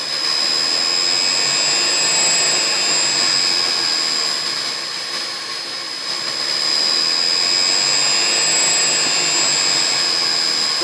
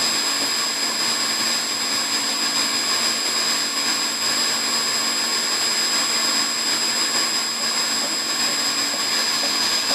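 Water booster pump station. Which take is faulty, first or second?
first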